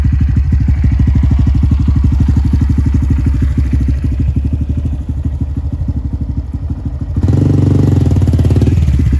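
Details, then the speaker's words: Honda Grom after cleaning and greasing the rear brake caliper pads: small engine thumps steadily with a brief surge, and the previous rear brake squeal is gone. "all right as you guys just saw that uh brake noise is not there anymore so incredibly happy with that"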